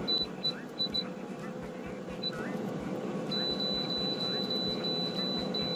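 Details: Air fryer control panel in manual mode, setting the time to 10 minutes: short high chirps, one per button press in quick bursts, then a long held tone. Normal button beeps.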